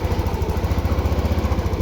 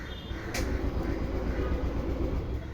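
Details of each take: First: TVS Jupiter BS6 scooter with a hard-starting and stalling problem, after battery work. Small single settles into an even, steady idle with no stumbling or dying; normal idle. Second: TVS Jupiter BS6 scooter with a starting and stalling problem: a steady, low starter churn for seconds with no catch. It cranks but won't start; with a different spark plug it started but wouldn't hold a slow idle.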